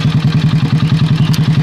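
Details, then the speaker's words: Honda Supra Pit X motorcycle after valve adjustment, with the earlier ticking much reduced. Steady single-cylinder idle of about ten pulses a second with a light metallic clatter on top, from a loosening cam chain tensioner. "suara tiang quras yang sudah mulai longgar ya kawan-kawan"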